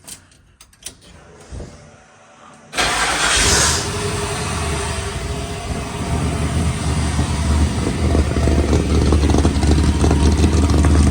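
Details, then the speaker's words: 1972 Chevrolet Impala with fuel-injected LS3 swap; short crank, then catches and settles into a steady, even idle with a slight lumpy cam pulse, no shaking, vibration, misses or knocks, idling down normally. "There go that thing, YouTube. No shaking, no vibration. No any of that, man. Y'all can see it's idling down now."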